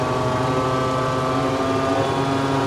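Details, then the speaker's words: JF forage harvester chopper drum revved flat out after repairs: loud, harsh, steady high roar with ringing tones because the blades were set too close to the shear bar. "Oh, the noise of it. We have set the blade so close. Wow. That is unreal, the noise of that."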